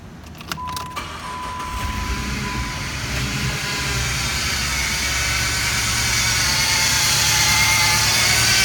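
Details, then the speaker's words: 2006 Jeep Grand Cherokee Laredo: right after the engine starts, a loud whine rises above idle from the serpentine belt tensioner pulley, which feels grinding inside when turned; worn tensioner pulley bearing, noise gone after tensioner replacement. "It's making a huge loud noise when you start the engine, like something like a whining noise."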